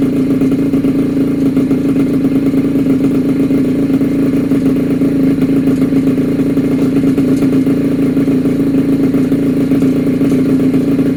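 Small two-stroke holds a steady, even buzz without misses or rattles, running smoothly on its first run after the rebuild.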